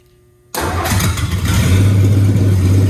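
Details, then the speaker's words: 1960s Ford F100 field truck that sat abandoned since 1979 (about 44 years): engine catches after a quiet second, then builds to a firm, even low rumble that climbs slightly with no misses or knocks; the motor sounds great. "the good news is out of all of that this motor sounds great"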